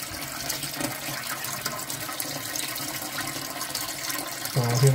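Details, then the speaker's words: 10-year-old Ideal Standard toilet after fixing a constantly running inlet valve: steady rushing water as the cistern refills, even flow without sputter or hiss, then it shuts off to dead silence; fill valve working normally. "just about to fill up and it should stop and there should be no DBL whatsoever eventually it'll just shut off Dead Silence"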